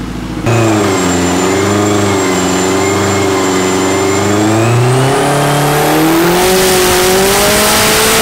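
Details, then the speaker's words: Built K24-swapped AWD turbo Civic with forged bottom end, Garrett turbo and ECU Masters standalone, on a hub dyno making 568 on the first pull. The engine climbs cleanly without cutting in and out after the intermittent TPS sensor fault was addressed. "first ball made 568 you guys see it pulled a lot smoother there it doesn't cut in and out real bad"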